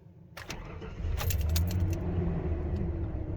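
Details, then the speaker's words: Ford truck that won't start in Park: after jiggling the shifter into neutral there is a short crank, then it catches cleanly and settles into a steady low idle. The cause is a loose dash screw. "get it in neutral and then it starts"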